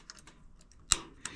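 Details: Rheem gas water heater in attic, before burner replacement: two sharp dry piezo igniter clicks about a third of a second apart in a quiet room while pilot lights; corroded burner only holds pilot temporarily.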